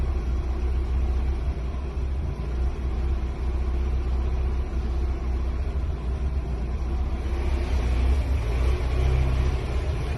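Low, uneven rumble at idle, beat stumbling and wavering in loudness rather than holding an even rhythm; this engine is idling roughly.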